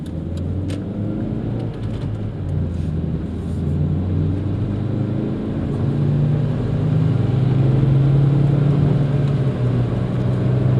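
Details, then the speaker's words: 2001 Hyundai Accent driving: low, steady growl under road noise rising slowly with speed, from a worn front wheel bearing being replaced. "evening folks for our next project what we've got here is a bit of a growl a wheel bearing just listen to this"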